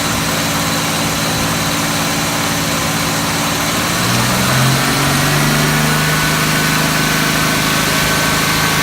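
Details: Engine idling with uneven, lumpy beat of about three to four pulses a second and skipped rhythm; disconnecting the MAF sensor made no difference; misfire at idle.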